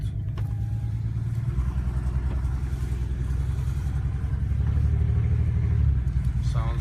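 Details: BMW 335i after cold-start warm-up, low lumpy engine drone with uneven stumbling beat after dropping into gear; sounds like a misfire. Plugs changed at service 2.5 months ago; owner suspects coil pack or fuel injector again. Restart ran normally.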